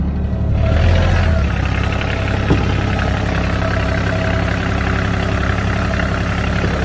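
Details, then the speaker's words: Ranger Tug 21 with Volvo Penta diesel, first start of the season after fuel filter change and bleeding: steady diesel clatter at an even idle with no stumbling, hunting or misses; normal idle. "so we got the motor running no problems everything's looking great on our Ranger 21"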